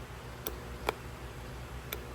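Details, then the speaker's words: Starter motor tested off the car on the bench, powered across the big power and S terminals: only a few sharp isolated clicks with no motor whir, starter seized; banging it briefly freed it to pop out and spin. "you could probably even hear it it's seized up now"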